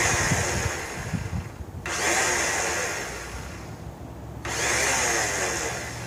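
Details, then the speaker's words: Snapper Hi-Vac commercial mower, Robin/Wisconsin engine, cranked on jumper pack after a little fuel primed: starter whirs in long bursts with short pauses, never catches; no fuel getting in, choke not found, starter may need lubrication. "But for right now, it doesn't look like we're getting any fuel in there, and I don't know where the choke is and stuff."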